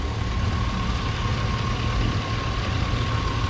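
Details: Chevy Silverado 1500 work truck: steady even low idle with faint constant hum, no knocking or banging; engine healthy.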